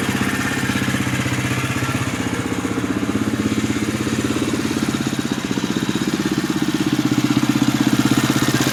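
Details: 2011 Husqvarna TE630 at idle, noise started at under 100 miles; owner asks whether it is normal. Even idle at about four beats a second with a busy whirring, blender-like clatter over it; mechanical whirring noise.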